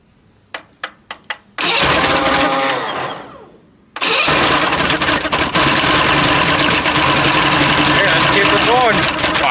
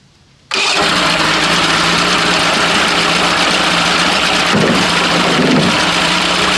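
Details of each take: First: Mercury Classic 50 two-stroke outboard, free motor, starting fluid sprayed into carburettor, no fuel system fitted yet: a few sharp ticks, then it catches and buzzes, dies briefly, restarts and holds. Normal running on starting fluid. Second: Mercury Classic 50 outboard, started with accelerant sprayed into the carburetor, possibly in gear. It keeps running at a steady, even speed after the ignition is switched off; the kill circuit is suspected not to be grounding, unconfirmed.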